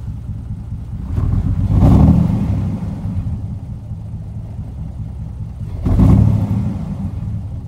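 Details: 2002 Jeep Wrangler 4.0 with rough idle and no OBD codes, after new injectors, PCV valve and MAP sensor and a cleaned fuel rail: deep rumble swells with throttle but is uneven and flat, bogging and misfiring.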